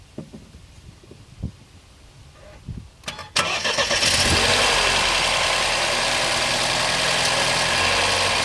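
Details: 2014 BMW 116i F20: the starter cranks, then the engine catches and settles to a steady idle with a busy, hissy top-end noise. BMW says this is normal; cause unclear.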